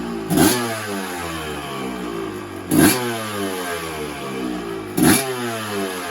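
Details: 1986 Yamaha YZ250S two-stroke, started with few kicks: steady idle with three sharp throttle blips that climb and drop back cleanly. Engine sounds healthy.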